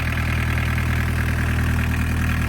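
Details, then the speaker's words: Barn-find VW Caddy pickup, mechanical diesel, off the road over 20 years, after first start: even, steady diesel idle with a smooth low beat and no knocks or misses; sounds perfect, healthy. "And this is why you need a mechanical diesel engine. Absolutely right. This is what we just said. Mechanical diesel engine. Job done. That sounds perfect, doesn't it?"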